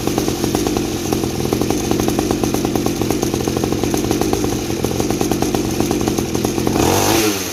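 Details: Mini 50 cc two-stroke trail bike after modifying the silencer with more holes and glass wool packing; steady fast popping beat with exhaust noise cut about 50%, letting chain and engine clatter come through; runs smooth and even.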